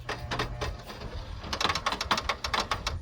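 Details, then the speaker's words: Abandoned Pontiac Firebird, battery installed: headlights work but the mechanism clicks rapidly and sharply, around five a second, as they operate; cause unknown. "They do work. They just click really weird. I don't know why they do that."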